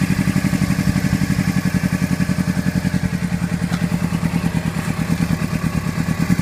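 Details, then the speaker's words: Honda CBR600RR: lumpy idle with hard, uneven exhaust pulses about eleven a second and a thudding stumble; one cylinder misfiring, traced to one header, engine keeps dying. "Alright guys, this is what I mean by it's misfiring. That's the sound I'm getting from it."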